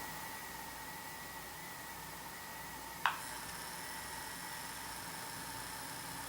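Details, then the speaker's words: Intermountain GP10 locomotive with LokSound Full Throttle decoder, sound muted, Digitrax control, moving under low power before CV124 change: faint steady buzz from the motor; fix is setting CV124 to reduce hum. Motor hum. "Hopefully you could hear that hum or buzz when the locomotive was going or moving. Intermountain has instructions for changing a CV to help reduce the hum when the motor of inside the locomotive is actually working."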